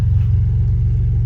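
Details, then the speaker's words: Neglected Chrysler LeBaron convertible, automatic, Mitsubishi engine with a little valve-guide-seal oil smoke, just started: a quiet, even low idle rumble with no ticking or knocking that fires right up and runs perfectly. "crank that rubber up wow sounds nice and quiet fires right up a little bit of standard mitsubishi oil smoke from the valve guide seals wow runs perfectly"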